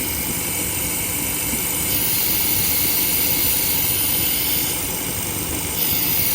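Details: 2016 Buick Cascada (GM 1.6L turbo) with P0171 bank 1 lean code at idle: steady airy non-pulsing hiss over smooth idle, vacuum leak from failed PCV valve built into the valve cover; fix is replacing the valve cover.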